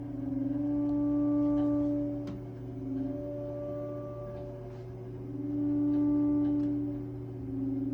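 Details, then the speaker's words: Triangle Tube Prestige boiler after a new valve was installed: steady, clear tonal ringing hum that swells and fades every few seconds over quiet background; annoying singing noise, source unknown. "I'm wondering what that noise is coming from because it's pretty annoying."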